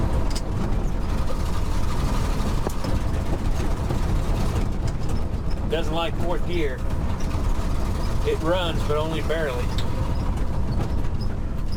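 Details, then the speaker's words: 1969 Ford F-350 with worn stock FE 360 V8 and 4.56 rear gears, lugged hard: uneven stumbling rumble with irregular pops; dead cylinder, backfiring, cutting out. Owner suspects timing, valve train and a bad piston. "it's uh got a dead hole backfiring a lot cutting out when you lug it some of that's timing some of that's probably the bowels some of that's a bad piston"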